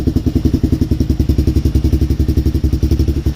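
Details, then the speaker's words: DVX400 quad, cold day below freezing, just reassembled and choked from cold; even single-cylinder thump, no ticking or clatter, much quieter than before; normal idle, idle to be bumped up slightly. "No ticking noise whatsoever. Nice and quiet."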